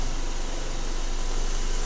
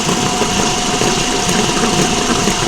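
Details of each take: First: Vehicle raised, engine running in gear with parking brake set and wheels chocked, spinning wheel: steady hum and even rushing, no grinding; this side's axle and wheel bearing are quiet; the rolling noise customer hears while driving comes from the other side's bearing, likely needing the whole axle. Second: Front axle raised with the lifted front wheel spinning under power, checking a roaring noise heard only while driving: a steady roar with a faint constant hum from the CV axle wheel bearing, which is worn.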